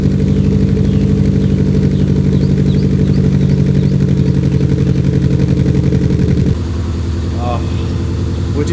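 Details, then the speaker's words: 1990s Subaru GM6 Impreza with a single-overhead-cam boxer, after a stage-one restoration: the exhaust gives a deep, even burbling rumble with a steady low pulse and no misses or rattles. Normal boxer exhaust note. "Beautiful Subaru Boxer rumble. What's interesting is the single overhead cam is actually pretty decent when it comes to like exhaust notes."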